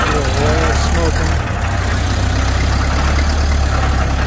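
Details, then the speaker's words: 1931 Ford Model A, flathead four, 200.5 cu in, about 4.5:1 compression, just revived after 65+ years stored; low, even purr with steady deep beat, no misses or knocks; smooth, healthy low idle. "I don't know, it's idling really nice. I don't know, these things idle pretty low like that. Yeah, it sounds good."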